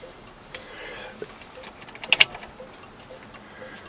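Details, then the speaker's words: 1968 AMX with 401 V8, engine off: faint, quiet ticking continues on its own in a still cabin as the turn signal flasher is stuck on. Finding: turn signal flasher stuck on. "i got the flasher stuck on now it looks like it's turning i got to get some wd-40 in there"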